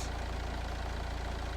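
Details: 2013 Nissan Qashqai 1.6 dCi that had a crank-no-start with CAN communication fault U1000, traced to a corroded relay: even diesel clatter at a steady idle, about fifteen firing pulses a second, no stumble; idles smoothly.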